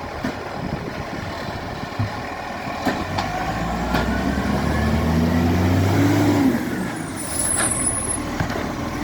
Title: Maitland FOGO | 2230 | Exhaust Leak